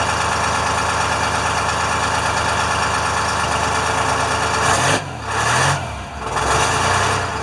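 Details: International firetruck with a Detroit diesel, after a ground cable repair and new batteries, just started with good oil pressure. A steady idle takes a throttle blip that rises and settles smoothly, with a faint air hiss from an air leak. It sounds healthy.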